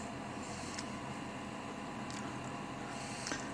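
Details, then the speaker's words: Propane heater set to manual so the fan runs immediately, blowing heat out. Soft, steady whoosh with a faint constant hum and no rattles or scraping. Normal blower fan operation. "so you put it on manual press the manual and now your fan is on and your fan is blowing heat out through here"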